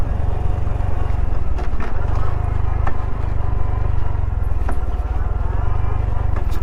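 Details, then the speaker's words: 2021 Honda Trail 125 riding a desert canyon trail with stock fork spring: over the steady single-cylinder drone, sharp clunks from the front fork as it still bottoms out, though less than before. "you hear that fort clicking now so much for all my talk that it's it is better with this with the stock spring but still bottoming bottoming it's bottoming less i should say but it still is"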